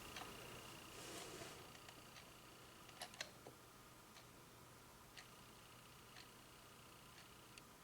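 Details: Singing bird clock with replacement quartz movement: faint, crisp, evenly spaced ticks about once a second under low room hum, running normally.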